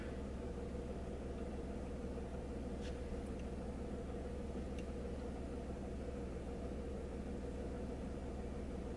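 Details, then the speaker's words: 2002 Mk4 VW Polo at operating temperature after throttle body adaptation with VCDS: quiet, smooth, even idle with no stumbles; rough running fixed. "you should see now that the idling is a lot smoother and you've got no rough running engine which is what we had with this one so"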